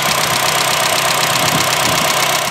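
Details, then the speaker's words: Higher-mileage Honda Fit GE8, at idle before the repair: fast, even, loud light ticking from the top of the engine. Valve clearance is excessive, so the valves need adjusting. "today we're gonna fix the issue that I was talking about in the previous video with the really loud valve noise coming from my engine"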